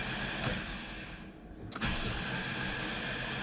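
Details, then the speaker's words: Ford EB II Fairmont that sat neglected for years, cranked with spark plugs out to build oil pressure on the factory gauge: quick even whirring crank, no compression pulses, grinding or clunks; the engine turns over freely. "all good signs the engine's turning over fine and we've built up some oil pressure"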